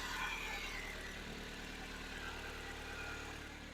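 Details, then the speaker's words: 1995 Nissan Pulsar N15 after a fuel pump repair (pump heard priming): quiet, even idle with a soft steady hum and no misses, knocks or stumbles. Normal idle. "There we go guys. We have ignition. We are running."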